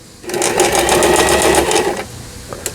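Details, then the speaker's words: Lion Mising-sold Janome Harmony 2041 household sewing machine, about 20 years old, after repair of lower shaft gear/shuttle race timing that failed to pick up bobbin thread: fast even needle chatter on H zigzag pattern, stops cleanly, no knocking; normal sewing. "E는 이제 세발뛰기 바느질이 되겠고, 이거는 바느질 간격을 촘촘하게 할 거냐, 넓게 할 거냐. 후진 역시 잘 되고 있고."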